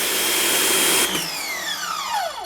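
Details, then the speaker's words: SunJoe SPX3000-XT1 XTREAM electric pressure washer in factory configuration: harsh high-pitched motor-pump scream for a second, then cuts out and winds down with falling tones; normal for this washer. "oh boy this is the one thing I always hated about the Sun Joe's as that just sounds like it's breaking every time"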